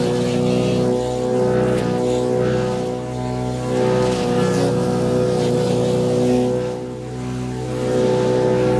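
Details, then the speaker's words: Wood chipper chipping branches after a broken ear was welded back on; steady engine drone with irregular crunching as branches feed through, with no knocking or slipping. Normal chipping under load. "Okay, that's fixed. Did a good job shredding all that stuff up."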